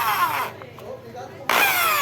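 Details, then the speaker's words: Skil electric drill after repair (power cord rerouted so housing closes, stripped screws replaced): even whine spins down, pauses, then restarts in reverse cleanly with no rattle or grinding; runs normally. "justamente essa chave aqui onde está a reversão são tá funcionando perfeitamente a máquina não tá mais com aquele barulho"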